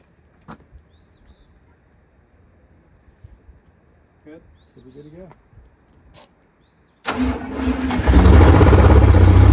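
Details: Detroit Diesel 92 series that sat 20 years, in a bus, after fuel priming and refitting the fuel pump: starts at once and settles to a steady, even diesel idle.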